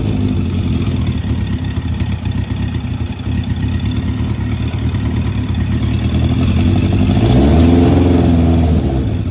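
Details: Race car after repairs, battery only at 56%: steady, even engine beat with a clean rev rising near the end, no ticking or exhaust puffing, header bolts holding; normal running.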